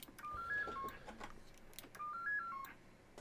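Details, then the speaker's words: Homebrew vintage 7-tone CB roger beep after the fix: the forgotten supply wire to the 4017 decade counter is now connected. Two clean, crisp, complete runs of quick stepped beeps around 1–2 kHz. It works properly. "but now now it's now it's working properly now it's good"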